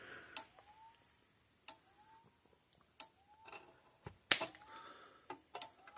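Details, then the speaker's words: Repaired Gallagher M1800 electric fence charger, terminals bridged with a screwdriver gap: sharp, bright cracks about every 1.25 seconds, each pulse snapping cleanly; loud, nice bright heavy spark, healthy output after repair. "so see how how that's loud enough I mean it's nice spark not shoots a spark that big nice bright heavy spark"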